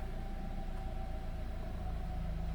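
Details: Vehicle at about 102,082 km, oil level good and fairly clean, no warning lights: low even rumble at idle with no knocks, ticks or misses; engine healthy.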